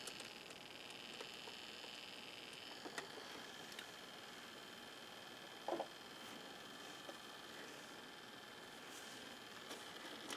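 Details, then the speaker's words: Hitachi HT-20S turntable motor with a faint, steady high-pitched whine and hiss from a bearing running dry, before oiling. Oiling silences it. "Can you hear our noisy motor? Hear how noisy it is."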